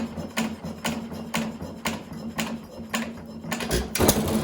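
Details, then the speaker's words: 1920 1.5 hp Alpha De Laval (John Lauson Frost King Jr) hit-and-miss engine: sharp firing pops about every half second, quiet coasting between, no knock. Normal running. "This may actually very well be one of my best running engines, to be totally honest with you. I hate to say it, because it didn't take enough work."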